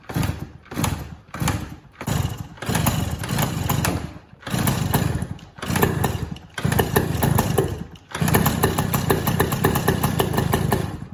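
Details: Yamaha PW80 two-stroke with a newly installed carburetor, run without a working choke: repeated bursts of firing that catch briefly then die. Owner suspects fuel starvation, as no fuel drains from the carb with the tap on reserve.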